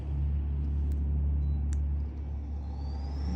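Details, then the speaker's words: Planer dust collector blower motor, powered up by remote after strap adjustments, planer off: deep steady hum with clean whine climbing as impeller spins up, no rubbing or rattle; takes a minute to reach speed, normal start-up. "Give it a test run here. Remote control. Power up the blower."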